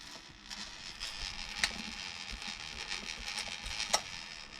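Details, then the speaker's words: Traxxas Slash 4x4 VXL RC truck drivetrain spinning with a gritty, hissy crackle and sharp clicks, from a dry worn bearing. "hearing that uh dry ass bearing with no life left in it that means I'm gonna pull the front end off and find which bearing I'm making all that noise"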